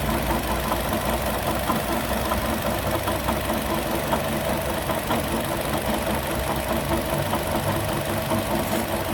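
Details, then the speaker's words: 2012 Chevrolet Sonic, belt-driven noise checked with a stethoscope at the water pump while revved: dull, uneven knocking under the engine noise from the pump area; apparently the water pump, which will be replaced. "Bueno ahí como se ve parece Aparentemente la bomba de agua ahí es el golpeteo que se escucha bueno se va a tener que reemplazar la bomba"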